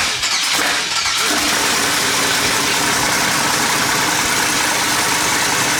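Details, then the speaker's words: 1200 hp twin-turbo LS Fox-body Mustang, water pump refitted and coolant bled, Holley EFI: catches after a second of cranking, settles into an even run after throttle body opened; healthy start. "flow hell yeah that sounds good dropped it down to four on the throttle percentage that seems to be working a lot better now"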